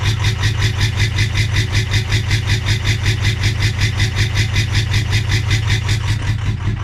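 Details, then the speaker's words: 2003 Ford F350 6.0 PowerStroke diesel just restarted after running out of fuel: lopes and stumbles, surging two to three times a second; rough idle from air still in the fuel rail. "very unhappy. No telling how much air is still in that fuel rail."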